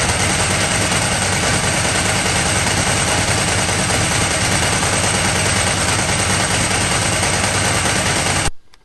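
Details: Ducati 998 Testastretta during a workshop inspection, with diagnostic and synchro testers used: a loud, choppy, rattling beat as the V-twin revs, cutting off sharply at the end. Judged a healthy engine with its typical mechanical rattle.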